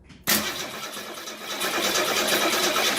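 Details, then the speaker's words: 1967 Ford Mustang 200 cu in inline six, being revived after 22 years, cranks with a steady uneven whirr of about three beats a second but never fires. There is no spark; the points are worn and corroded, and replacements are hard to find. "Okay, so we're not getting any spark on it, but there we go. She turns over."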